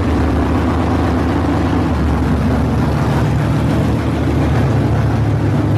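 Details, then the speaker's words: Barn-find Monte Carlo SS with a 383 V8, revived and running. A deep, steady rumble with an even firing beat and no knocks or ticks; healthy. "Sounds good. I think we're probably going to end things here."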